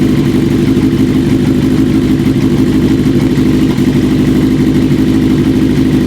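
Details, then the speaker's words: 1980 Kawasaki KZ750 idling after carb boots were softened with wintergreen. Uneven, lumpy idle with a stumbling beat about three pulses a second. Vacuum leak persists between the carb boot and manifold; new boots needed. "unfortunately it didn't soften it up enough we're still having some leakage between the car boot and the manifold"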